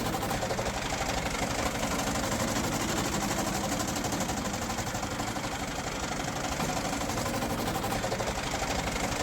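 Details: Tractor diesel with a fast, uneven rattle about four per second over a loud idle clatter; something loose rattling, possibly the timing plate cover, cause not confirmed; engine rattle.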